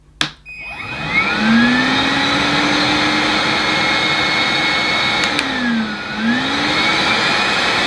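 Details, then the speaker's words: New Numatic NBV240 commercial cordless vacuum, first power-up on low then high speed: smooth steady motor whine climbing in pitch at the higher setting, no rattles or grinding; normal motor run. "Yes, that sounds fine to me."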